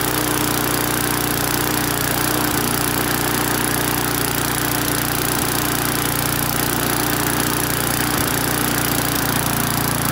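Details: Briggs & Stratton-powered mower, on first start after fresh petrol: small single-cylinder engine runs steady with slight hunting every few seconds; mostly runs well, surging suggests lean condition, possibly aged carburettor or air filter (suspected, not confirmed).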